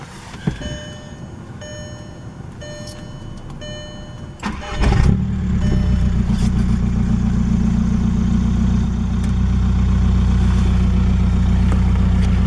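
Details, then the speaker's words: 2004 VW Golf TDI 1.9 turbo diesel, tuned, with suspected injector problem and heavy smoking in town; fires up cleanly and settles into steady even idle clatter with no stumble or missed beats, running smooth. "As of right now, it seems to be running pretty smooth."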